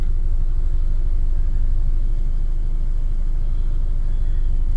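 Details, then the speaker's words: 2008 or 2009 Toyota Camry with check engine light, at coolant temp 186°F: it stalls unless the gas is pressed. With the AC on, a deep, uneven idle rumble and heavy shaking gets worse as it heats, then dies; rough idle under AC load, cause unconfirmed. "now it's shaking pretty bad there we go so when it's when it gets hotter it just gets worse there we go it dies again"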